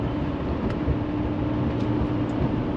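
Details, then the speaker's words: 2018 Chevrolet Silverado High Country L5P Duramax, 105,535 miles, after cylinder 4 misfire repair (P0204, P0300): steady, even diesel drone on a test drive with no stumble, running smoothly on all eight cylinders. "I mean, it's running very well right now, running on all eight cylinders and running as good as an L5P does. I don't know a stock L5P, so yeah, drives nice, runs good."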